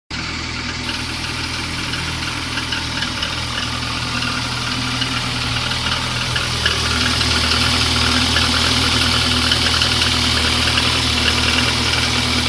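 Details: VAZ 2115 engine at cold idle: steady, regular light knock about three times a second over the engine hum, following idle speed; engine knock.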